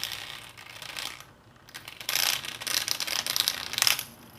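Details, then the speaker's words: Washing machine drain pump energized alternating directions, bright irregular rattling and clicking during spin; a small piece corroded, broke and came loose inside the pump, also stopping water draining. "Ó tem essa pecinha aqui que ela encaixa aqui ela para encaixar aqui certo mas ela não é para soltar não é para soltar esse aqui porque quebrou aqui ela corroeu certo e soltou aqui aí esse barulh"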